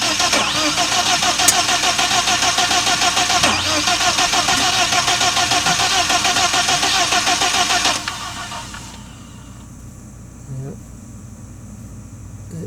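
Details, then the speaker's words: 1997 BMW 318i M44 four-cylinder, first start after rebuild: rough, uneven chuffing with stumbling and loud hiss, then sags; misfire because spark plug wires were fitted by length in wrong order. "sound too good right now I was kind of in the scratching my head what happened"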